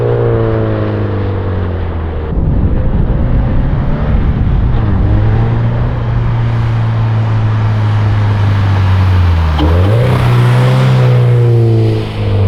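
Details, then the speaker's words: 2013 Subaru BRZ with GReddy Evo GT exhaust, after a leak was fixed with a 2.5-to-3-inch adapter gasket and donut gasket; smooth low drone while cruising with a clean rise in pitch as revs climb, no rattle or ticking; normal exhaust. "So, they fixed it. It sounds perfect now. Oh, I'm super happy with how it turned out."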